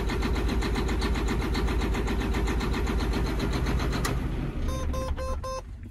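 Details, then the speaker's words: John Deere 9530 tractor, 13.5L diesel with fuel pressure fault code, at low idle, smoking badly: heavy diesel clatters hard and unevenly, knocking about four times a second, then shuts down abruptly; rough clattery low idle, smooths out at 1350 rpm. "Golly, that's awful. Man, this thing sounds terrible."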